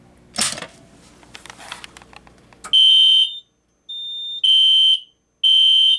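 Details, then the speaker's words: System Sensor Spectre Alert P1224MC horn strobe, code 3 low, on a Kidde FX panel outputting full-wave rectified power, with MDL sync module: high horn in half-second three-pulse bursts, raspy, scratchy, lower pitch — caused by FWR current. "the the FWR current um gives the Spectre Alert and it gives it a more raspy and scratchy and low pitch sound"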